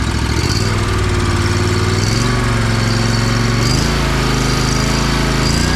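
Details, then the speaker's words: Lawn mower that ran weird, right after fuel filter replacement, choke on: strong steady drone as revs are nudged up and down, even beat, no sputtering; cleared right up and running cleanly. "guess it likes the new filter. That's crazy. I'm glad I got that on camera. That was sick. Cleared right up. He's ready to roar."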